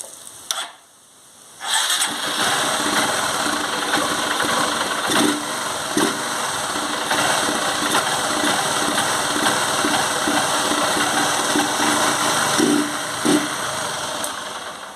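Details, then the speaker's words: Honda CG 150 Sport single-cylinder idling: loose irregular knocking clatter about four times a second, louder when hot, after riding about 1 km with no engine oil; suspected piston knock from oil starvation. "esse barulho aí como vocês podem ver é barulho de pistão quando ela está andando também ela barulho faz um barulho muito forte no motor por conta aí que eu rodei sem óleo nessa moto"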